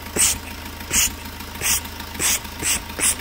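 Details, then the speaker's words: Fiat Punto 3 diesel at idle: sharp hissing puffs about every 0.7 seconds, combustion gas pressure escaping past a failed injector seal, before seal replacement; may also cause engine light and gas smell in cabin. "la première chose c'est le bruit vous l'entendez un bruit anormal à bruz de pression de retour de prêt c'est-à-dire le piston purement donc la pression des gaz qui remonte et comme une faille donc ça fait ce bruit"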